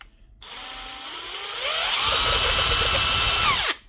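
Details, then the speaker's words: DeWalt nut gun with a broken anvil and play in the gearbox: a free-running whine climbs in pitch then drops off, with a gritty, uneven rattle underneath. The gearbox is worn and noisy, and the whole gearbox housing needs replacing. "It's actually a bit rough up here, too. But they're normally worth fixing."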